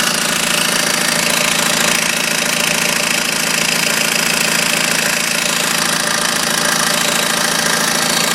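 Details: BMW 120d diesel at idle: a sharp, regular knock at about three per second over the diesel clatter, coming from low down between engine and transmission; flywheel suspected, cause unconfirmed.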